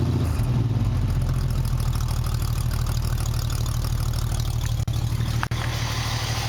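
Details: 1965 Mustang with redone fuel lines and working choke, started after already having run: even low throbbing idle with steady lope, no misses or knocks; running smoothly.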